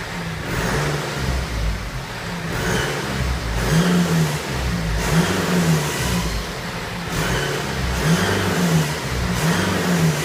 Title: BMW 320d 2013/01 F31 strange noise